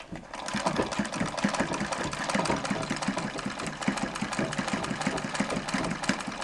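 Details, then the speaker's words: Singer 237 sewing machine in treadle: fast even stitching clatter about five a second with no belt whine after adjusting the rear belt guide; running smoothly. "but this is now the 237 in the treadle and you don't hear the whining of the belt because I adjusted the rear belt guide"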